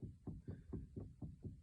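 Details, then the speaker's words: VAZ (Lada) with a tight, hard-turning steering wheel: dull deep knocks about four a second as a helper turns the wheel left and right; suspected worn steering rack, knock also felt when rocking the right tie rod. "Всем привет при повороте руля вправо или влево мы слышим вот такой звук Напарник у меня крутит руль и вот мы слышим вот такой"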